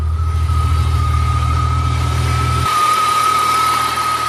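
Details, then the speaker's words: Engine just reassembled with a compression bump, timing confirmed right: steady idle with smooth even low rumble and a constant high whistle over it; check engine light off, sounds healthy. "Sounds good though. Yeah. Check engine lights off."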